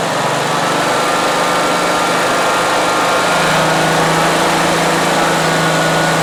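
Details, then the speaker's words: 2003 Exmark zero-turn mower, abandoned and not run for years, revived late at night: loud steady engine drone easing slightly in pitch as throttle comes back to idle, running evenly; normal running, though fuel is spraying everywhere. "sweet and idle down nice all right we got a running Moine"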